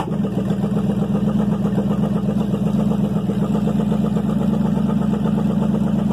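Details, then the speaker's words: Chevy 305 V8, first start in years, idling; steady low drone, even pulse about four beats a second, no misses or knocks; normal idle. "that [ __ ] runs smooth run good ain't no doubt now let's see how easy it starts up without you hitting the gas"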